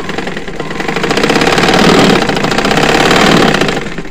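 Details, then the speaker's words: Butterfly/Singer sewing machine after freeing a jam by oiling, test-stitched: fast, even clatter rising and easing smoothly with speed, no catching, grinding or knocking; stitches come out even, machine running normally. "আমি সিলালাম, সিলাইটা দেখেন, সিলাই কিন্তু বরাবর আছে। হ্যাঁ, সিলাই কোনো সমস্যা নেই, এই আমাদের বরাবর আছে।"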